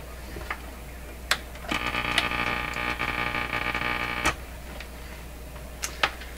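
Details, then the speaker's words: Westinghouse 535 AM radio, chassis in cabinet, loop antenna, tested in shop: sharp irregular ticks and crackles over a faint station tone; electrical interference from shop noise. "there we go so that noise you heard is the shop shop noise the interference that's in here"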